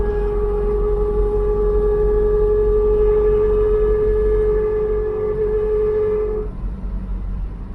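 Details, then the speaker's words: Mk3 Cortina driving after propshaft replacement: loud steady howling rear axle whine, now worse, possibly from a sharper angle, cutting off when load comes off; setting-off wobble cured; axle still needs fixing. "Okay, apart from the crazy axle noise, which is now worse."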